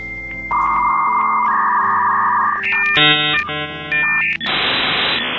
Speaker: was your modem telling you that everything is okay and that you were now allowed to surf the internet for as long as your mum would let you